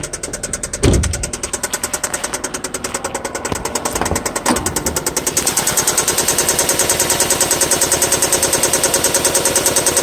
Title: Valve tick or rod knock